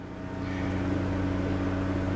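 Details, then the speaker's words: 1991 VW Vanagon after the stuck high-speed radiator fan problem: with the AC on, the fan runs at a steady low-speed hum with an even whir, no rattle or hesitation. The fuse works and the thermo sensor was not replaced. The fan now works properly. "all right now when I turn on my fan you can hear the radiator so it's working properly"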